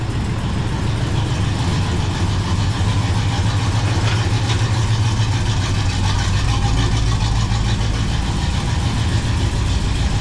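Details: 1978 Chevy Camaro drag car V8 after rewiring, battery relocation and new starter, just started: deep lumpy idle with occasional sharp pops; ignition timing off, to be adjusted.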